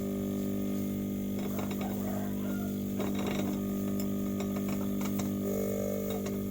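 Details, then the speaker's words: Refrigerator compressor after welding repair, restarted the next day to check that it runs and the oil rises: even, low, steady hum with a few light handling clicks; normal compressor running. "sekarang mau kita Nyalakan lagi apakah kompresornya bagus kalau oke ya menyala karena olinya naik langsung kita tutup saja"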